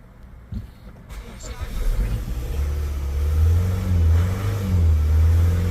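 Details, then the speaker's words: Mazda CX-5 2.2 SH twin-turbo diesel with hard-starting and stalling issue, started after the upper feed pump was replaced; catches after a short crank, revs, then settles to a steady idle without dying. Normal start and idle. "yan umaandar na siya hindi na namamatay"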